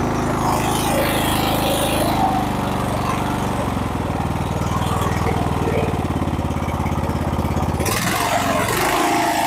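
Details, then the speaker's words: Husqvarna riding mower single-cylinder engine, previously backfiring and shooting flames from the carburetor, after new coil, new spark plug, choke fix and valve check: steady, even beat with no popping or misses; normal running. "so now it seems to be a pretty good running engine"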